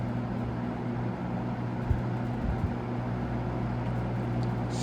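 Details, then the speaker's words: GE W22 fan after service, on its low speed: steady low hum with a soft even whoosh and no rattle or shading coil buzz. Normal low-speed running. "Very nice low speed on this one. This fan kind of goes medium, high, and turbo."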